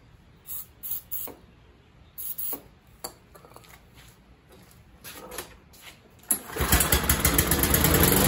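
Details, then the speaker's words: First start tries of an MTD 21-inch push mower with a 140cc engine that sat for a couple of years, primed several times. Sharp pull-starts, then it catches and runs with a rough, wavering note; owner guesses a carburetor issue, found as clogged carburetor jets. "okay my guess would be a carburetor issue guessing this is going to be a 10. set up probably similar to a Honda carburetor"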